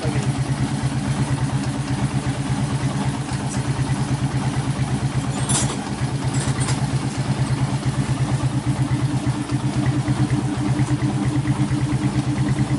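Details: 1996 Honda GL Max after engine rebuild fixing smoke from worn piston and rings, new larger GL Pro New Tech piston fitted: even, steady low putter at idle with regular firing beat, no knocking or rattle; normal idle.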